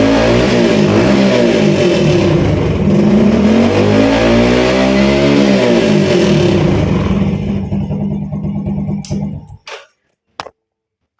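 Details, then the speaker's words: Yamaha Vega R/Vega ZR/Jupiter Z carbureted motorbike after carburetor service, main jet and pilot jet cleaned, to cure midrange stumble: revs smoothly through midrange with even exhaust beat, no hesitation, then shuts off cleanly. "Bro, for the middle rounds, you have recovered from the brepet and God willing, if you try this for walking, I guarantee it will be good, without any feeling of sticking or undut again in the middle rounds."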